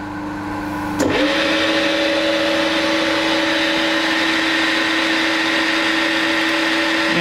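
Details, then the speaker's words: Combination milling machine three-phase induction motor after rotor bearing replacement, unmatched belts: spins up to a clean steady hum, no rumble or grinding, about 78-79 dBA, much quieter than before. "it's a may i say it's a big improvement on what it was if we look at the dba meter we're roughly bouncing around 78 79 db you know i must say it sounds a lot happier"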